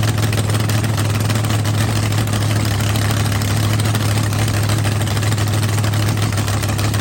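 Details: Rebuilt blown V8 drag car after winter refresh, on the trans brake, RPM switch set at 6,000 for the shift solenoid: deep, steady, lumpy rumble with even firing, no knocks, ticks or misses; frost on the scoop, no milky oil; healthy.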